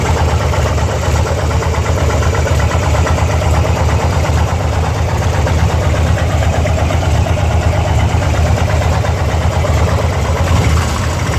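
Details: 2002 Harley-Davidson Ultra twin cam EFI V-twin at idle: lumpy idle with odd irregular clatter, a few beats per second, over the deep exhaust thump; source of engine noise unknown.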